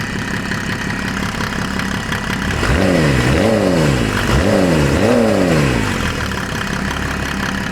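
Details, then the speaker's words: Mercedes OM606 diesel in a Land Rover build on its first start: steady idle clatter, then two quick throttle blips that rise and drop back cleanly; quick-revving and responsive, sounds healthy. "You beauty. She's a quick revving little monster, ain't she? Sure is. That is fast."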